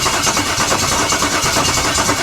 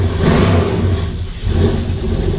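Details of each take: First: LS-swapped 1956 Chevy V8 with injectors pulled and one side's ignition disconnected, cranking at about five compression beats a second without catching; only the front injector, from a different engine, sprays fuel; crank no start from fuel starvation. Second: LS-swapped 1956 Chevy V8 catches, revs up cleanly and settles to a steady deep idle, no knocking; gauge reads zero oil and fuel pressure, suspected faulty sensor; lifters only slightly clickety; normal revving.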